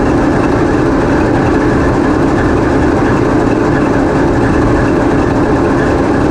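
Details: Passenger diesel locomotive TEP70 0237 on post-repair running trials, GoPro in the diesel engine room: loud steady roar with even low throb, no knocks, rattles or squeals; running normally.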